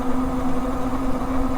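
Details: Biktrix Juggernaut Hub Duo e-bike, 31.5 Ah battery, about 28 miles into a range test, throttle-only hill climb: steady low hub motor hum near 200 Hz, no rattle; taillight buzz fixed with rubber; running normally.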